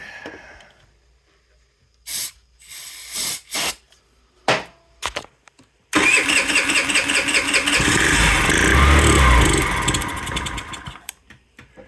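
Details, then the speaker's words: Scrap-yard Chinese scooter, hard starting, runs only on starting fluid sprayed in: several short cranking bursts, then it catches and runs unevenly about five seconds before dying; fuel delivery suspected, carburetor to be pulled. "okay now let's put some chemical juice in there well I'll try that one more time sounds good"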